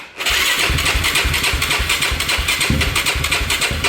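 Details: Yamaha YFZ 450 after a lost-spark fault and rewiring: starter cranks with even pulses about four a second on a weak battery, and the engine almost catches but won't run; it has spark and fuel.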